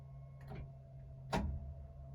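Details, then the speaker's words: Mk2 Ford Escort with an intermittent no-start: key turned, two sharp clicks from the starter solenoid but no crank; the starter cable is very thin and a loose connection is suspected, as rocking or pushing the car has got it started before. "But the the starter feed is definitely um doing something cuz you can hear it clicking on the starter. The starter cable is so um thin."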